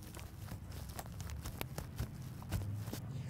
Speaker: I'm not sure if you can hear it on the microphone you can definitely hear some crackling sounds that sounds kind of like brittle wood